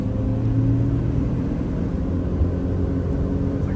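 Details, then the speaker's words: 2007-2009 Honda CR-V at freeway speed: deep, steady droning wind-up hum, almost like a plane, under road rumble, from a worn rear passenger-side wheel bearing with grinding, fixed by replacing the bearing. "all right now we're going to get on the freeway you hear the wind up noise listen very carefully first you hear the engine change"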